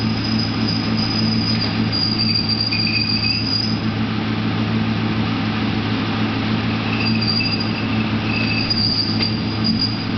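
A high, thin screech comes and goes in long stretches over a steady engine drone; it seems tied to the clutch, cause unknown.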